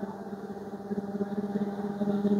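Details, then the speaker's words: Samsung front-load washing machine in test mode, spin climbing toward its 1400 rpm maximum, reaching about 1320 rpm: smooth, steady hum building gently with no thumping or rattle. Normal high-speed spin. "তো দেখেন আমার এইটা কিন্তু অনেক স্পিডে ঘুরতেছে। এইযে অনেক স্পিডে ঘুরতেছে।"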